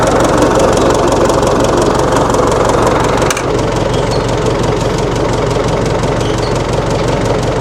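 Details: 1960 Massey Ferguson FE35 tractor, 4-cylinder diesel, after sitting unused in a paddock for a long time: settles into a steady, even clatter at about three beats a second with no misfires or knocks; healthy idle.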